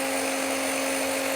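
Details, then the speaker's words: Bench run of the starter (0E4271) from a 20-year-old Watchdog Generac 15,000 W standby generator (model 0053820) with a 15 A fuse-blowing fault. High gritty whine, slow at about 2,800 RPM (4,500 minimum spec), drawing 36 A (50 A max). Worn starter bearings heard; the solenoid is also suspected. "And the starter, the bearings don't sound very good either. So, yeah, maybe it's actually a starter problem."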